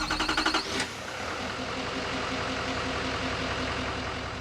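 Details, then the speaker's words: L5P Duramax with code P0306/P0206 cylinder 6 misfire and reduced power while towing a camper, after the roadside fix: a short chime, then a smooth, even diesel idle with no skipped beats. "The mist is gone. Check engine light's still on, but I'll clear that in a minute. And the truck is running smooth."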